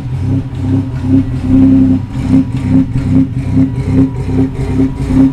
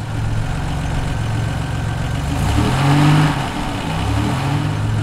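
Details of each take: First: Buick not started in a long time, cold start: uneven loping pulses about two or three a second, clearing once the idle rises; a malfunction code was present and the owner plans to check fuel pressure. Cause unknown. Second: Buick warming up at about 42°F ambient, coolant at 127 and rising: a steady, low, even idle with no lump, the cold-start loping having cleared once the idle came up; fuel pressure check planned; normal warm-up idle.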